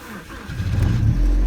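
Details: BMW 116i E87, N45 engine, cold start at about −20 °C, oil pressure light on: catches and settles into a low rough rumble with knocking; cold start engine knock.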